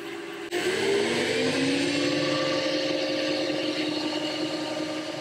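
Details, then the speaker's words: Lathe motor on a variable-speed inverter, three years after fitting, spinning up from rest past 1,460 rpm (old pulley maximum 1,400): the hum climbs, then holds steady and clean. Normal running with no knocks or grinding. "So there I've got 1,460. Still climbing. So I still have that maximum speed."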